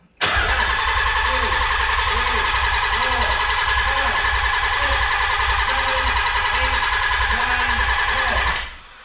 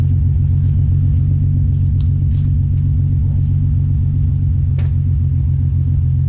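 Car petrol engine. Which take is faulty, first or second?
second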